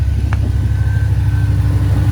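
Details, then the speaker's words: Range Rover P38 air suspension compressor refilling the tank toward 150 psi after a rebuilt EAS valve block was fitted: steady low pumping drone with a faint even whine, no knocks; normal. "we'll let that tank pump up and we'll go to low"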